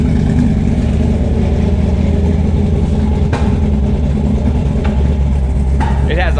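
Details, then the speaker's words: 1955 Chevy Bel Air hot rod V8 with Holley carburetor, in for a tune; lumpy idle with occasional sharp pops, running lean and needing a tune-up: lean popping at idle. "You can hear it lean popping already, so it needs a tune-up for sure."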